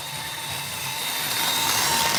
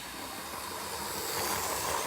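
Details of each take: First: Roughly 40-year-old Hornby Class 37 model loco after half an hour of running, following oiling of axles and motor shaft: thin high squeal rising and falling as it passes; lubrication did not fix it, cause still unknown. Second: Roughly 40-year-old Hornby Class 37 model locomotive after work on the flywheel to cure a squeal: smooth soft hiss building with speed, quiet with no squeal or grinding; normal motor operation.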